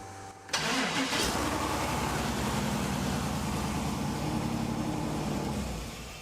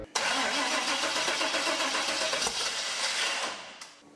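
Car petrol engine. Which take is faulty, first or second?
second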